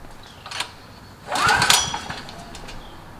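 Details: Generac GP5500 portable generator, recoil start, after sitting a few months: cold, choke on, 89 octane with Stabil 360, new Diamond Fire plug. Repeated pulls spin it briefly but it never catches. Hard starting; warm restarts are fine.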